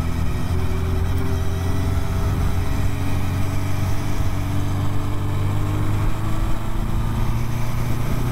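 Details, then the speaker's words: Motorcycle on a test ride with blown forks and bouncy rear suspension; steady, even engine drone with no misses or knocks, running fine, though an unexplained squeal is heard while moving. "but engine runs really good so far"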